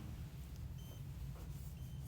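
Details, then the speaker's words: SYKIK SRTP300 motorcycle TPMS for a Road Glide, just switched on: two short high beeps about a second apart over a low rumble, a no-pressure warning because the sensors sit on the table, not on the tires. "you can hear it flashing or see it flashing and hear it beeping it's telling me there's no pressure and no temperature as well but that's because the sensors are just sitting on the table"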